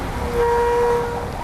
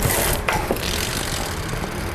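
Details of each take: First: Bicycle disc brake (Motobecane TX8 Pro 3) deliberately sprayed with oil: short loud honking squeal when braking, from oil-contaminated rotor and pads; fix by cleaning the rotor with brake cleaner repeatedly. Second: Motobecane TX8 Pro 3 bicycle with disc brakes after a brake noise fix, with the wheel spinning quietly apart from faint freehub clicks and no brake squeal or rubbing.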